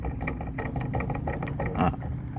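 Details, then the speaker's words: Yamaha Ego Gear scooter, about 3 months 1 week old, CVT gear oil changed once: irregular metallic clunks and ratchety clicks as the rear wheel is rocked; loud final drive gear backlash, far more than a 3-year-old Honda Beat. "Sebelah sini dengar dalam gear ni, shaft dia ni cepat bunyi. Honda Beat saya dah pakai 3 tahun, dia bunyi kocak lah, tapi sikit saja."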